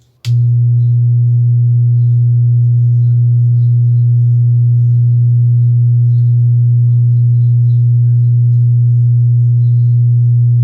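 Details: Wordstar WBL 160 Plus active speaker, opened and switched on with no signal. It gives a loud, constant deep hum; one output IC heats up while the other stays cold, showing a shorted amplifier output IC.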